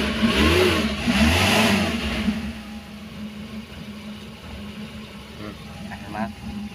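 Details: Daihatsu Espass, after checking oil warning light that stayed on: two smooth rev rises settling to steady quiet idle, no knocking or ticking; engine normal, oil light goes off when running.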